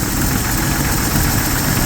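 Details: 1970 Chevy C10 with a 250 inline-six at idle: a dense rumble with irregular knocking, begun after an oil change. Lifters or rod bearings are suspected, and it is being checked cylinder by cylinder with a mechanic's stethoscope.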